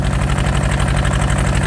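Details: Yanmar TK486 4-cylinder diesel just started with the throttle low after injection lines were tightened: uneven, lumpy idle with a lopsided chuff, like only half the cylinders firing, with two injector lines loose and leaking.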